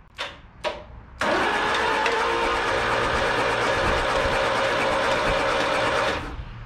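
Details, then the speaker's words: Old mini U-Haul box truck (Ford Courier) after sitting 35 years, first crank with the starter jumped using a cotter pin and WD-40 in the cylinders, throwing sparks at first: a couple of taps, then about five seconds of even cranking; it spins freely. "i don't know if the camera picked it up or not but this did shoot some sparks at first but hey crankin's cranking"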